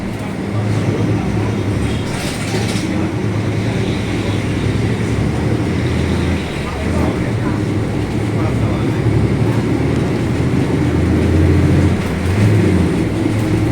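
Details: Caio Apache Vip 4th-generation bus on Mercedes-Benz 1724L chassis under way: loud, steady low roar that follows road speed over the diesel drone; rear differential roaring very loud.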